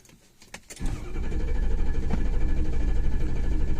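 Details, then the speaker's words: 2006 Ford F350 6.0 diesel crank-no-start: fast, even starter cranking that never catches; injection control pressure 24 psi against 955 desired, regulator stuck open by debris through its screen. "Well, we don't have any high pressure oil pressure. And I checked the engine oil, and the engine oil is good. Desired is 955, as you can see here, and actual is a whole 24 psi."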